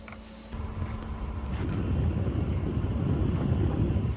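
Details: Diesel heater cold-started after two years in storage, with no diesel in the system yet: sharp, even ticks about every 0.8 seconds over a rising fan rumble; the fuel pump is ticking while priming an empty line.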